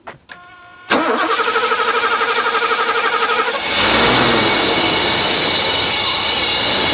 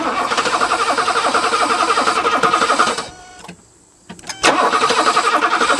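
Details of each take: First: Pre-merger AMG Mercedes 500 SEL, sat 27 years, running on sprayed starting fluid pending a fuel pump and smoking from treatment put in the cylinders: cranks, catches and runs evenly and smoothly with no knocks or misses, normal running. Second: Pre-merger AMG Mercedes, sitting 27 years, first start: catches and chugs briefly, stumbles nearly to silence, fires again unevenly; runs only on starting fluid, fuel not being delivered, leaking fuel hose replaced.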